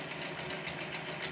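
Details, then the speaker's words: Grizzly G0748 mill after a DC motor upgrade with a 150k control potentiometer, running on low: a fast, even metallic rattle rides over the motor whir. It started that day; cause unknown. "you hear it rattling that just started today so now I've got something else going on with them"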